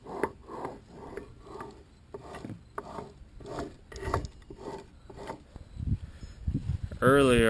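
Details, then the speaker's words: Nissan Hardbody differential: rough, gritty grinding in regular bursts about two a second from worn inner and outer pinion bearings and carrier bearings on both sides. "had a the dist a canal and the inside and outer pinion bearing is making that noise and so is the Reese bearings on both sides of the Deaf"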